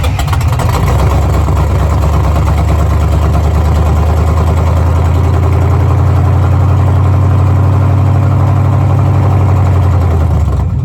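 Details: Squarebody truck with its original Rochester Quadrajet carburetor, before a swap to an Edelbrock 1406 and with the battery being charged: the carbureted V8 lopes unevenly at idle with a loose, lumpy beat. It runs poorly and the exact fault isn't clear.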